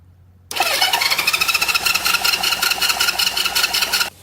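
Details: 1970 Honda CL350 after sitting 42 years, plugs gapped to about 30 thou, plug wire cooked: the starter spins the engine with steady compression beats near three a second but it never fires. No spark, with the points and the coils' power supply being checked.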